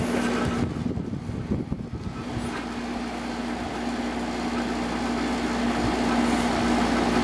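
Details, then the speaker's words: Samsung 6,300 BTU window air conditioner with a Samsung compressor, cooling at about 3.37 A. Steady low compressor hum with soft fan rush and no knocks or rattles; it runs normally and sounds similar to a larger 10,200 BTU Samsung. "Seems to be working pretty well. Let it run for a while. Compressor sounds similar to the bigger one."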